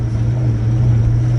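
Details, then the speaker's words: Procharged Ford Mustang Mach 1 on a revised base tune, second gear around 2,000 rpm at about 11: deep, heavy, uneven labouring drone, the engine bogging at low rpm as if asking to shift. "See, right now it's already bogging right there, like telling me to shift."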